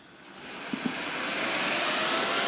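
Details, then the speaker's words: 2018 Harley-Davidson Street Glide with built S&S 124" engine, Ultra Cool oil cooler fans tested with the supplied jumper before refitting the gas tank: a steady airy whoosh spins up and holds even, no scraping or ticking; the cooling fans run properly. "But yeah, so we are working. Y'all can hear the fans running."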